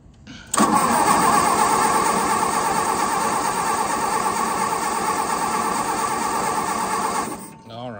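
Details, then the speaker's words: Case VAI engine cranks but won't start, getting dark and cold; owner suspects low compression: starter spins about three even turns a second with no firing. "now we know it turns over well if you've heard it turn over it might be a little low on compression"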